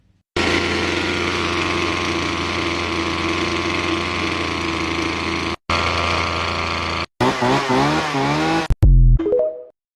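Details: Husqvarna 325L X-Series trimmer after carburetor and brittle fuel line replacement for no-start: steady even buzz for several seconds, then clean rises and falls with throttle; running healthy.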